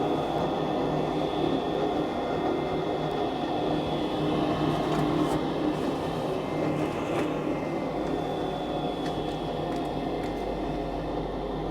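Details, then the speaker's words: Goodman GMEC960603BNAC gas furnace calling for heat: clicks then a steady inducer fan hum with faint high tones before the igniter glows; normal inducer run, though the burner did not fire afterward. "You can hear a couple clicking. Inducer fan. I heard all 3 clicks."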